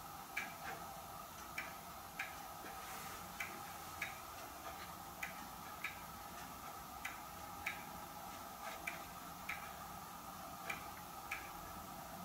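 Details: Hermle weight-driven grandfather clock movement on a homemade leveled test stand (F-350 rotor disc base), pendulum just fitted; crisp even ticks about every half second, steady beat with no skips, running healthily.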